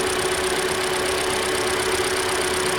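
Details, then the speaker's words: 2013 Hyundai Elantra, just over 60,000 miles, idling after replacing the alternator and serpentine belt (the alternator acts as the tensioner). A steady, smooth hum with no squeal or chirp means a normal idle and belt operation. "There's no belt squeal. We're good."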